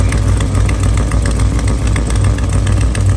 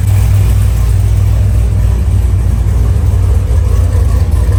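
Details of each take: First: LS3 V8 swapped into an FRS drift car, idling low after header rebuild and power steering work; rumbling idle with sharp quick ticking puff on each firing pulse, exhaust leak likely from a failed header gasket. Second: LS3-swapped FRS drift car after power steering conversion to fluid rack and new belt: deep, steady V8 idle with no ticking or puffing; earlier power-steering noise hoped gone, running normally.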